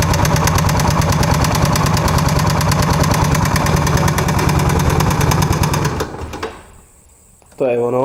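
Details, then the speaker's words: Suzuki Savage LS650, 650 cc air-cooled four-stroke single, started after sitting almost a year following carburetor cleaning. A steady rapid ticking knock from the top end, about three per second at idle. Valves were already adjusted; owner suspects a loose cam chain. "When I finally put all together and start motorcycle after almost a year, I heard terrible knocking from engine head."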